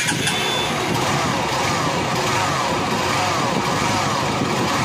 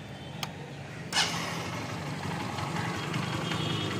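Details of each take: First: Honda Unicorn motorcycle engine with clutch cover opened to isolate the noise: steady gritty roughness under even running remains, not from clutch side; engine bearing rough sound, cause found after removing the bore. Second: Honda Unicorn single-cylinder after full engine rebuild, valves set slightly loose for mileage: brief blip then steady even idle, no knock or rattle, very smooth. Finding: normal idle after repair.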